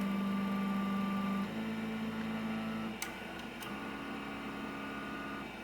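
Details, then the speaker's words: LaPine hard drive in a 1986 XT clone with DTK ERSO BIOS 2.26, heard at power-on: steady hum and whine as platters spin up, then a couple of sharp head clicks before settling, a normal healthy startup. "so i'm going gonna turn this on and you should get a sound here of what this sounds like it's identical to the to the one we have on the bench"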